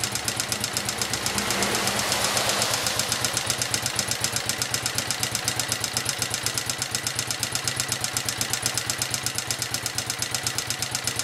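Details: Honda XLV 750 motorcycle engine at idle: sharp, crisp metallic ticking about four times a second from the front cylinder; the owner's engine knocking noise, cause unclear.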